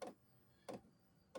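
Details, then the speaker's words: Amazon diesel heater, first start of the season: sharp single clicks about every two-thirds of a second over near silence as the fuel pump kicks on; normal fuel pump ticking. "That's the pump kicking on. As the pump starts going more, it'll start blowing faster."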